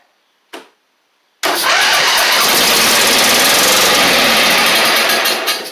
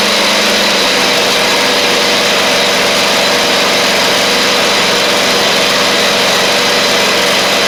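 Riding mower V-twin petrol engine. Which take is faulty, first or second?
first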